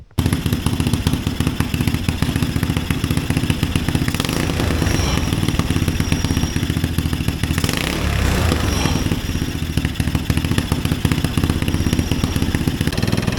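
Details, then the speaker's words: Mini Willys-style Jeep with Chinese single-cylinder engine after carburetor replacement: steady, even chugging beat with no stumbles or backfires; running properly again. "well there you go guys we worked on the carburetor got it straightened out"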